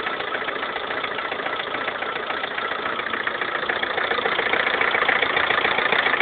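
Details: 2011 Lada Kalina 1.4 16-valve, 20,000 km, sudden overnight knocking; steady sharp knocking at idle about three to four a second over engine hum; piston knock, cured by dealer fitting piston-rod group of different size class.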